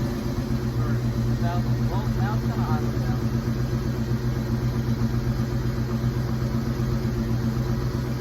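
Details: 1986 Mustang SSP after new spark plugs and wires, restarted: steady even low rumble at idle, settling back down, no misses or knocks; normal idle.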